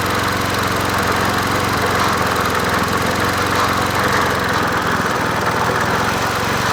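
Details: Old free Murray 20" push mower #20201D, missing gas tank, carburetor just got working after off-camera adjustment, no air filter fitted; single-cylinder runs with a busy uneven chatter rather than a clean drone — rough running.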